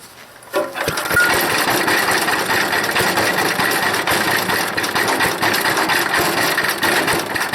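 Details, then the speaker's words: Wood chipper small engine, dry tank just refilled, full choke, no air filter fitted: loud but uneven buzzing with wavering speed and sputter; owner suspects a bad float or dirty carburetor, not confirmed. "it sounds like a sputter but boy that's a job pulling it i choked it all the way but it's got a bad uh float i think it's definitely firing it's got a real bad float"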